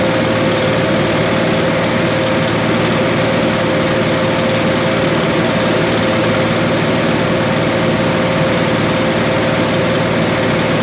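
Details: Billy Goat leaf blower, Briggs & Stratton 9.5 hp single found headed to scrap, sooty plug, low compression, slightly choked: steady even drone at one speed, no misses or backfires, running well.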